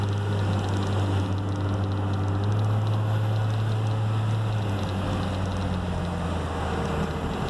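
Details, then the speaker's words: Dodge Ram 2500/3500 Cummins diesel with turbo silencer ring removed; steady idle clatter with a thin, constant turbo whistle on top, louder turbo sound after removal, no performance change. "Okay, so you can see with that little modification we get a little bit more sound out of the turbo. Like I said, it's totally no performance modification out of that."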